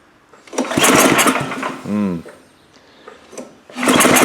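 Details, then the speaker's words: Gravely power brush sweeper, unrun 10 years, choked at half throttle: two bursts of rapid recoil cranking with no firing between pulls, exhaust puffing what is likely rust and junk; cranks without starting, fuel-starved, carburetor suspected clogged. "Puffing something out the exhaust like there must be rust in there and junk."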